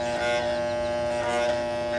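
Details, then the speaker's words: Air conditioner contactor, energized, to be replaced to stop the noise. Loud, steady electrical buzz with a harsh, raspy edge: buzzing, failing contactor. "is not good. It's not good. So we're going to replace this contact as well to eliminate this noise in the conductor here."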